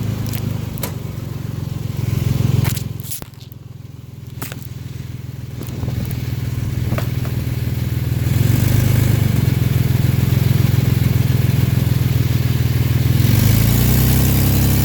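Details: Car with knocking and a tangible push while driving: low regular knock about three or four beats a second under the engine rumble, following revs; suspected crankcase knock, cause unknown.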